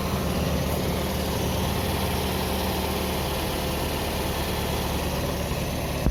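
A steady, even idle with a smooth low drone and no misses or knocks throughout; the engine is running healthy.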